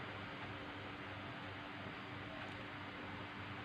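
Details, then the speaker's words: MSI laptop fan, after cleaning, bench-tested off a power supply: soft steady whirr with a faint constant hum, no ticking or rubbing; the fan spins smoothly and can be reused. "Yeah, no noisy. So if it's no noisy, yeah, we can use."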